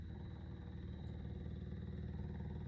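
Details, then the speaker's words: Workhorse W22/W24 motorhome chassis, full fuel tank (about 75–80 gallons) being drained before tank removal using the Onan generator's electric fuel pump via prime button, line loosened; fast, even, steady buzzing pulse, no stutter: normal fuel pump operation. "and here pumping away now you'd have to put your little wedges or something on the back side to hold it there the whole time then you could pump it out probably about down to about a quarter tank"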